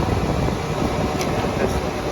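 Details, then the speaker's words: R22 Trane rooftop unit blower running and drawing amperage after the unit came back on; the tech had found neither fan nor compressor running on calls and is chasing a low-voltage short: steady airy rush over a low hum, no rattles, blower normal. "okay so our blower is at least pulling amperage yeah I hear it in there running"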